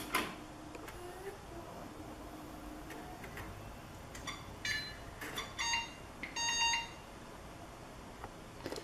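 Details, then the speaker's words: Budget PC build, Q6600 2.4GHz, 4GB DDR2, GTX 650, at power-on: several short high beeps in uneven groups, POST error; code unknown; the hard drive was found unplugged, and it failed to boot the day before. "Lots of unfriendly beeps there, and I'll turn on the monitor."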